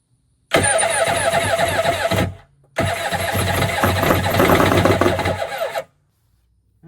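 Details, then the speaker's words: Kawasaki 1100 jet ski, low compression engine, one wrong spark plug, fuel poured in intake, battery 13 V: two cranking bursts starting brisk then dragging slower, no catch; owner suspects weak starter losing power when hot. "When it gets hot, it loses power because it sounds like it's just turning good to begin with and then it just kind of dies off. So, I think the starter is bad as well."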